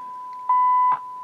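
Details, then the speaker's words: Realistic STA 2100D amplifier on a signal generator: a steady pure tone of about 1 kHz jumps much louder for half a second. A feedback-loop capacitor goes open, so there is no negative feedback and the channel runs at full gain. "the amplifier goes full gain that's why we're getting allowed tone out of the traveling Channel when it fails"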